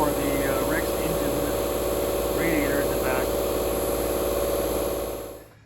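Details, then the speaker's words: REX range-extender engine running in emissions/charging mode, rear hatch open: steady drone with soft regular rubbing tick about four a second from leaf debris caught in the REX fan cage, not the AC compressor. "So if you're hearing this strange sound, it's not necessarily the air conditioning compressor going out. It sounds like there's something that's caught in the fan"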